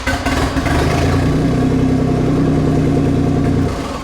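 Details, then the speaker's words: Nissan 300ZX after replacing cast dump pipes and front exhaust, started with rear pipe not yet fitted: deep, loud, blatting tractor-like drone swelling with revs; open exhaust, rear pipe missing. "let's put that last pipe on and get rid of that tractor sound"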